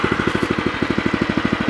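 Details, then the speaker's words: New O'Mac MC700 walk-behind tiller, first start, warming up at minimum throttle: even, quick putt-putt with no misses or rattles, quiet and smooth; normal idle. "Ăsta este relantiul merge frumos silențios frumos sper că auziți"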